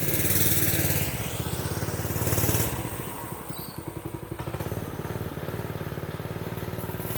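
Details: Predator 212 single-cylinder minibike, which ran but would not throttle up, after reattaching the throttle linkage (suspected improperly installed) during a ride: engine pulls up and eases off with the throttle, firing evenly, no stumbling. Healthy.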